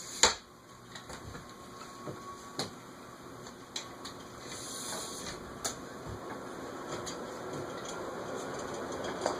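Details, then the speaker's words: Carib 36" 3-speed ceiling fan, cast iron spinner motor, bearings seemingly stiff, on a capacitor speed control at the 14 microfarad setting: hum swells louder with a droning ring and scattered ticks as it hits a resonant frequency. "14 hits a resonant frequency."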